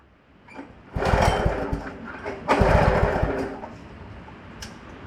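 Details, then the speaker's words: Wacker WP1550 plate compactor after repair and re-torquing: engine revs up in two surges and plate hammers in a fast, steady rattle; clutch engaging and compacting properly, though a bearing with some play may need attention later. "Look at that. does exactly what it's supposed to. It's not how I planned on doing it. It is working."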